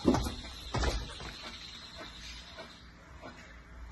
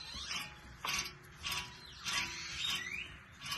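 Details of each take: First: 2013 Fiat 500 raised on lift, good driver-side rear wheel bearing hand-spun for comparison: wheel turns quietly with a faint, slowing tick each revolution; opposite passenger side bearing roars above 30-40 mph. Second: 2013 Fiat 500 rear passenger wheel bearing, hub spun by hand with caliper and rotor removed: gritty clicking bursts from the bad bearing, which roars above 30–40 mph when driving.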